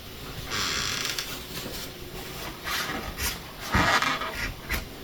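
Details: A door hinge after silicone lubricant was sprayed from both sides: a faint scraping rub and a brief thin squeak near the end of travel as the door swings; it is being worked in until the squeak goes away.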